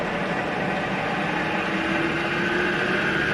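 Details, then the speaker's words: Milling machine spindle dialed to higher speed: smooth even hum with faint high whine, quieter than at low speed, no knocks or grinding; normal spindle running at high speed. "There is a red zone up here. It's about 3,000 RPM. That's when you kind of get into the limits of the range, like maximum speed."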